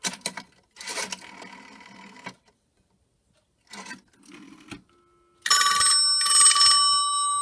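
After some handling clatter, two clear bursts of bright bell ringing, crisp and even; the phone's ringer is working properly.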